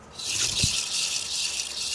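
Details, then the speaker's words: Ford Ka wheel spun by hand gives a steady hissy scraping and scuffing with no rumbling, so the bearing is judged okay but the brakes need adjusting; another wheel sounded grumbly despite no bearing play. "This one's okay. Needs the brakes adjusted. You can hear Scraping. scuffing, but there's no rumbling."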